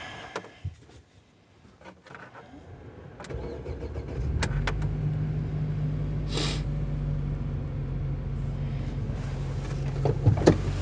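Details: UAZ Patriot with ZMZ-409 engine and automatic, cold start after sitting overnight at about −4 °C; the starter cranks briefly, the engine catches and settles into a smooth, steady cold idle with no ticking; healthy start.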